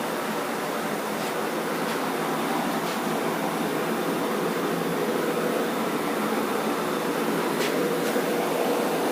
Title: Bad wheel bearings